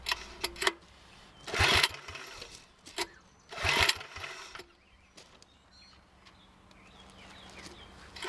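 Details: 1961 Wheel Horse model 401 tractor engine, choked: it catches in two short, ragged bursts a couple of seconds apart and dies each time. The fuel bowl is full.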